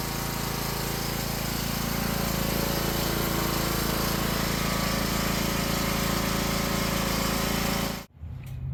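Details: Cub Cadet XT1 Enduro riding mower after starter solenoid replacement, battery weak and on charge: small single-cylinder engine runs steady and even at a fast regular beat, then cuts off cleanly; normal running.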